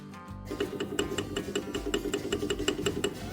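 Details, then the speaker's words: Customer reports a ticking noise from the engine: sharp, light, quick and even ticks over a soft engine hum with background music; cause not yet known. "Customer states, "Ticking noise coming from the engine.""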